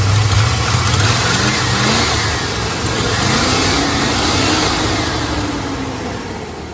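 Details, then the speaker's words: Old Chevy truck, first run in about six months: engine revs up cleanly several times and settles back, pitch rising and falling smoothly with no misses or knocks; normal revving. "she runs just mint fired right up no Tekken that's just ideal"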